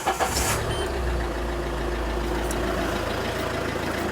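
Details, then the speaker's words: Citroen Berlingo Multispace 2 L HDi diesel, 194,345 miles, 78 bhp on dyno: steady, even diesel clatter at idle with smooth low drone, no knocks or misses; healthy. "And there's the 2 L HDI engine, uh, which sounds much like this."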